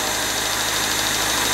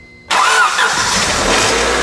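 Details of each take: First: 1999 Honda Civic remanufactured engine with rebuilt cylinder head, first run while bleeding the cooling system: busy, sharp ticking valve clatter over a steady, mostly smooth idle; needs a valve adjustment, expected on a new engine. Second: 1999 Honda Civic remanufactured engine after valve adjustment, new water pump and leak fixes: catches quickly and settles into an even, steady idle with no ticking or knocking; sounds healthy.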